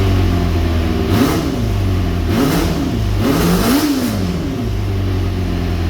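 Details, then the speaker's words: Engine-swapped Kawasaki ZX400 four-cylinder after freeing a stuck-closed float in the second carburetor: idles evenly, blipped up smoothly three times and settles cleanly, all four cylinders firing. Normal running. "let's just fire it up and see whether all the four Ps are working or not yes guys all the four misses are working"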